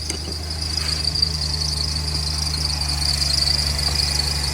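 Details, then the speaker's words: BMW X5 E70 at cold startup after a water pump replacement. A steady high-pitched squeal rides over the idle without letting up. The serpentine belt squeals because it is about one inch longer than the original size. "this is what I was talking about it's a squeal noise because the belt is slightly too long"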